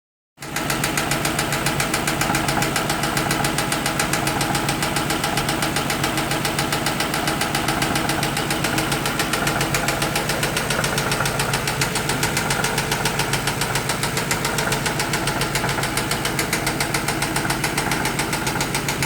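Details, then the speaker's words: 2008 Ford Mustang Bullitt 4.6L 3V V8 idling with steady fast light tapping, three or four ticks a second; cam phaser, VCT solenoid, ignition coils, spark plugs, valve lash adjusters, lifters and oil already replaced, engine not blown, cause unknown. "So this is the weird noise coming from my brother's Mustang."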